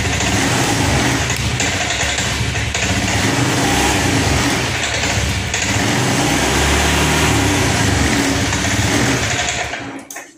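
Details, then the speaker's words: Honda Scoopy ESP FI automatic after tank cleaning, ECU reset done, fuel pressure normal, EOT sensor fitted; revs unevenly, surging and sagging on throttle blips, dies at end; still sputtering, dirty injector. "Oke teman-teman, di sini masih ngeberbet Pak, masih ngempos. Padahal sudah kita reset, tekanan full pump sudah kita kasih di angka normal Pak ya."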